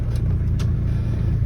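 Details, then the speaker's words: Rover P4 80 after a carburettor tune, previously running very rich with a high, aggressive idle: now a deep, even, quieter burble at low idle with no hunting, misses or roughness. "this now idles nice and smoothly"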